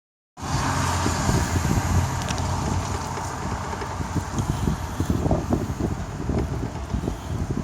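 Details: Opel/Chevrolet Ecotec petrol engine at idle with a fast, uneven rattling tick from the top-left of the engine; failing intake camshaft VVT actuator that needs replacement.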